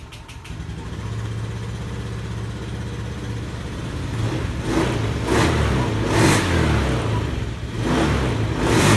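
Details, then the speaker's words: Injected motorcycle right after an ECU reset with no fault codes: engine revs high at first then drops to a normal steady idle after a few seconds, blipping cleanly with no lag or stumble; normal revving. "Nah sudah seperti normal besar dulu terus beberapa detik dia akan mengecil"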